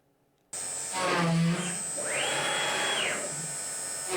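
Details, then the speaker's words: Oxman CNC, brand-new machine, countersinking spoilboard holes with a 9mm bit after plunge rate and spindle RPM were lowered: spindle whine with a strained cutting tone rising and falling as it plunges, with massive heat buildup and gantry flex; the cause was reversed spindle rotation. "I don't know why, but I let the whole program run through despite the massive heat buildup and the flexing of the gantry, as you can see here. Yes, beginner's mistake. I didn't check the rotation direction of the spindle, and it actually spins"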